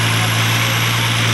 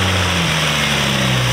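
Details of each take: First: Nissan Altima SE-R at idle after intake manifold replacement: thin, constant high whistle over steady idle; intake vacuum leak traced to catch can hose at intake, to be resealed with Teflon tape. Vacuum leak. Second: Nissan Altima SE-R just after the intake manifold was reinstalled to fix an intake leak and the codes were cleared: smooth, steady low hum that settles after starting, with no hunting or surging. Normal idle.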